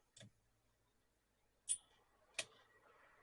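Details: Dyson HD01 hairdryer after motor replacement, testing: a few sharp, irregular clicks about a second apart with no spin-up; the motor tries to start but won't run.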